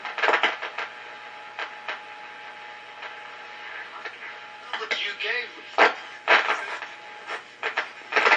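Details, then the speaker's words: Philco 90 tube radio during recap and crackle/fade troubleshooting: steady hiss with sharp, irregular crackling bursts; owner suspects a mica cap, also considers the tuner despite cleaned contacts; signal randomly cuts out. "Without anything in there, you definitely get more hiss than crackling."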